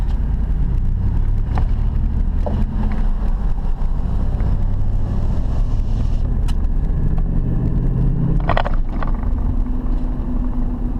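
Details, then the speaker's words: 2006 Dodge Dakota after front wheel bearing replacement (old bearing seized, groaned loudly from about 60 km/h), driving with engine still a little cold: steady road rumble and tyre hum, no groan rising with speed, dead quiet. "No more groaning noise. That is awesome."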